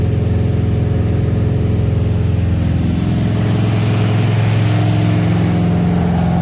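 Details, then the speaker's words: Freshly built small-block "Pontiac" 327 V8 about 15 minutes into break-in at fast idle, at 190–200° with solid 50 psi oil pressure: a loud, steady, even beat with no knocks or ticks. Normal high-idle break-in. "sounds like a Pontiac breaking her in man she's loud"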